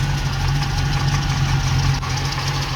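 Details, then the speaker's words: Ex-NZ Army V8 Land Rover after replacing military ignition with Mallory coil, optical distributor, cap, rotor and ballast resistor: deep, steady V8 idle, even beat, no misfire or stumble; running cleanly. "all right she's all back together again and running"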